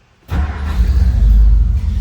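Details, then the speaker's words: 1957 Ford Ranchero with a 292 V8 and automatic transmission: starts easily with a quick catch, then a steady, deep, throaty exhaust rumble settling into an even idle. Normal start and idle. "Starts easily. Nice little throaty rumble coming out of that 292."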